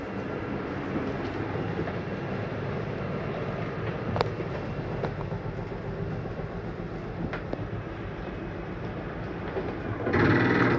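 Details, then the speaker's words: 2022 Mesa Ridge 261BH travel trailer, slide-out retracting via control panel: steady motor drone with faint clicks, then brief louder whir at the stop; normal end-of-travel sound, not grinding. "I want you to hear that noise, whether the slide's going in or out. It's nothing grinding. That's just the slide mechanism saying I'm in all the way."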